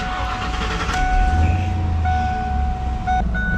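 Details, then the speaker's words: 1995 Ford Mustang GT V8 idling smoothly once the SPOUT connector is pulled, after a recurring rough idle; points to a faulty PIP in the distributor controlling advance, so the distributor is replaced. IAC, TPS and PCV were already replaced. "if you look at it, the car is idling fine."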